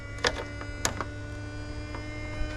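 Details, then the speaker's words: 2008 BMW 535i E60 after upper coolant hose replacement, ignition on during coolant bleeding procedure with trickle charger: steady electric hum with constant whine, a few handling clicks; electric coolant pump running. "You can hear the pump in there running. I'm gonna put a trickle, just a slow trickle charger on it, 2 amp."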